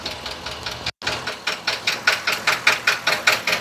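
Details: 2020 Ford F53/F59 commercial motorhome chassis with 7.3 V8 gasoline engine, code P0301 cylinder 1 misfire, noise started while driving: sharp, even tick about 2.5 times a second over smooth idle, heard at cylinder 1; faulty exhaust valve on cylinder 1.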